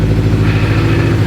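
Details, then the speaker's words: Turbo Toyota FRS/GT86 after installing a high-torque twin-disc clutch, at idle with the clutch pedal out: fast, even clattering rattle over steady idle; normal twin-plate clutch chatter, not a fault. "When you push the clutch and she rattles, it's like an addicting sound. It's really weird."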